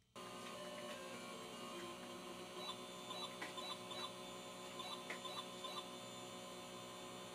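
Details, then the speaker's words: Commodore computer running Frogger: a steady low buzz fills the audio output and the game's beeps are barely audible. Owner suspects a dead SID sound chip; swapping the cable made no change. "oh so you hear that buzzing and the really faint beeping of Frogger running around I think the Sid may be dead in this or the sound chip"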